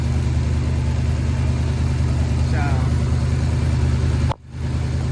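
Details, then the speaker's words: Ford Sunliner after a new starter, carb cleaning and float adjustment: lumpy, even idle with a faint puffing tick on the exhaust note. An exhaust leak shown by black soot at the pipe joint; the pipe will come off and be resealed with high-temp gasket maker. "All right, well, we're starting on this exhaust leak right here. You can see where it's coming out, the black soot."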